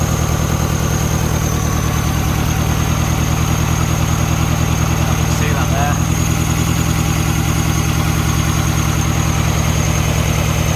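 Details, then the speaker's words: Mini Cooper, heads just refitted, idling: lumpy, uneven, vibrating beat from one dead cylinder, feels like it's missing; misfire at idle, scan under way. "you can feel it gosh not happy it's like it's missing it's firing"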